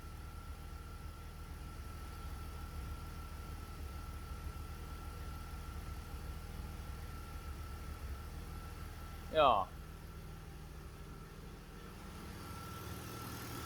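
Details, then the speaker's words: BMW 330 E46 with M54B30 six after the lambda sensors were reconnected, with fuel trims now within ±5%: a quiet, even idle hum holds steady with no stumble or hunting apart from a brief chirp, smoother than ever. "The car hasn't been idling this smootly never."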